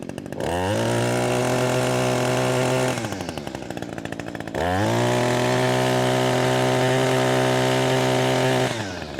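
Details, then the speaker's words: Echo SRM-225 two-stroke trimmer with low power, after cleaning carbon from the exhaust port and refitting the exhaust: two clean pulls to a crisp steady full-throttle scream, reaching full revs evenly. "it might be a little harder for y'all to tell the difference but there is quite a big difference"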